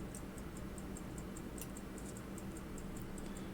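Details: Hunter-case pocket watch, returned after repair, ticking before the fix; fast even ticking with an occasional extra knock mixed into the beat, the balance overbanking; cause unknown, a loose jewel is suspected.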